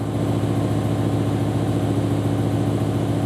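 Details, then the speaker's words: BMW M5/M6 V10 idle with an uneven stumbling lope about three or four times a second; codes show cylinder 9 misfire and safe mode, caused by a failed cylinder 9 ignition coil. "right there we got a misfire on cylinder nine as one of our codes says we got seven in memory so misfire cylinder nine this one says we've gone into safe mode in the car"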